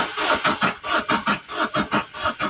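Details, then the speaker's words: 2017 vehicle with crank-no-start: the starter turns over slightly slowly, about four even compressions a second, but never fires. The slow crank is not the main issue; fuel delivery failure from a faulty fuel pump relay. "there's nothing uh the crank speed seems to be a bit low or slow but uh that's not the main issue here. Uh if everything was okay uh it was supposed to start."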